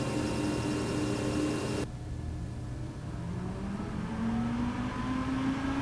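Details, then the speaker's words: Alienware R13 gaming PC with downclocked i9, under gaming load: constant whirring pump noise with a thin steady coil whine mostly from the motherboard VRM, pitch shifting between passages; loud. "As for noise, the R13 is loud. We can hear the pump noise constantly, there's coil whine during gaming, and the mechanical hard drive adds that mid-2000s gateway vibe."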